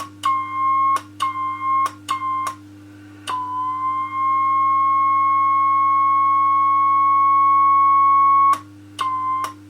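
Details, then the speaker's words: Homebuilt two-valve RCA 813 MOPA CW transmitter on 80 meters, detuned from 120 W to about 80 W with Pi-network loading reduced; keyed note near 1 kHz holds steady with only a trace of oscillator chirp. Acceptable, clean note. "Just reduce the loading on the Pi network. That doesn't sound, that sounds a bit better."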